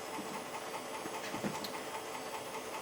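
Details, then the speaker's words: Floppy drive in a Pentium Pro system booting an MS-DOS disk 1: faint, irregular ticking and scraping about two or three a second over hiss; motor powered but drive sounds failing. "I heard the motor. It's powered. It did make a noise. Does not sound good."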